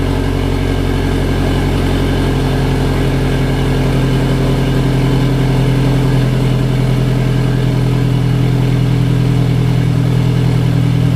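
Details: Engine with EWG and GTX3071R turbo, runs rough at idle for about 15 seconds then settles: low steady burble holds even pitch without stumbles or hunting; idle settles and runs smooth.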